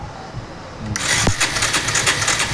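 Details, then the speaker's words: Bajaj Avenger 150, no kick starter, battery charged, brought in for no-start: new power coil fitted, starter cranks with fast even whirring but engine never fires; still no spark, fault later traced to the CDI. "ఇది కూడా అట్లా ఉంది power file వేసినా కూడా so ఇలా కూడా ఇట్లా ఉంది"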